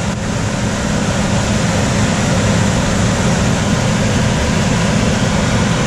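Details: Coleman DGAX056BDTA manufactured-home furnace, constant-torque ECM blower with 24-volt taps set to high: steady loud rush of air over low hum, unchanging pace when main blower runs; excessive blower noise from high speed setting, fix is lowering the speed.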